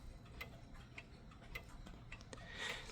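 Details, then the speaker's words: Mechanical clock in beat: quiet, evenly spaced tick-tock with equal gaps, so it has enough power to keep running; an out-of-beat tick would eventually stop it. "You want a nice even Tik Tok. Not a out of beat t not a not a out ofbeat Tik Tok like what you just heard earlier. You want a nice even Tik Tok like this."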